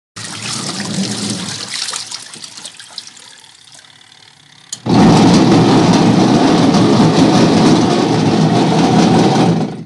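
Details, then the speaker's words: Noisy washing machine that barely spins: loud harsh roar with a rough grating edge starts abruptly and holds steady, from a worn gear in the gearcase pulley, before repair. "maingay na washing machine napakaingay guys washing machine yan"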